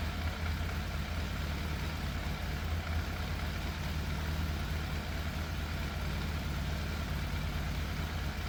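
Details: Yamaha FZ750 four-cylinder motorcycle, 41,000 miles, fire-damaged, choke fully off: slightly uneven lumpy idle with occasional dropped pulse; seems to miss, middle two exhausts cooler than outer two. Idle hard to balance, sometimes cuts out; cause unconfirmed.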